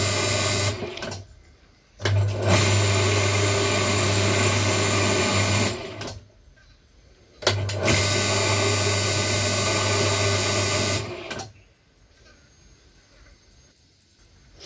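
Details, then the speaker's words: Electric hoist winch after repair of its terminals, bench-tested on a table: steady low motor hum with chain rattle, louder from the worn chain, vibrating capacitor cover and table; motor runs normally, cable to be replaced. "Nah kita Kencangkan untuk cover yang ada di kapasitor dia bergetar hingga suaranya agak kenceng ya gak apa-apa tapi juga getaran di meja juga menimbulkan getaran suara juga ya"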